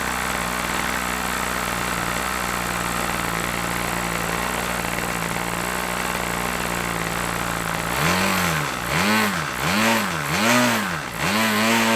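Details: OS LA40 nitro glow engine on a trainer plane, first start after months sitting, run slightly rich then leaned back: steady high buzz that swings up and down crisply with throttle blips; clean response, normal running.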